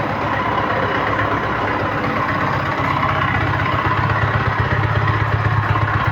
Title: YAMAHA MT 15 POCO KILOMETRAJE CON UN FUERTE RUIDO EN EL MOTOR MODELO 2026🏍️